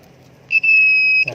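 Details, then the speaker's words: Honda Vario 150 scooter (new ACG-starter model) that dies suddenly: multimeter continuity test across the fuse gives a clean steady high beep about two-thirds of a second; fuse intact, not the fault. "Nyambung nggak? Kalau dia nyambung dia bunyi. Nah, bunyi kan? Nah, ini bunyi, ini bunyi."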